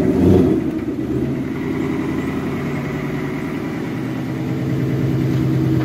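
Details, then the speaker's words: V8 Ford on a replacement engine, cold start after sitting two weeks: fast idle with a faint light tick riding under the rumble; source of the tick unconfirmed. "there's the tick car hasn't run in two weeks and she's ticking away now look at that"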